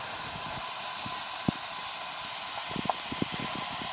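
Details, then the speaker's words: Heat pump outdoor unit with no heat, cover off: steady high hiss of refrigerant escaping at a rotted liquid line filter drier, with faint ticks; system has lost its whole charge, and the drier is to be replaced and moved outside. "This thing's completely out of freon. Took the cover off here so I could get to it. That's it right there. Can you hear it?"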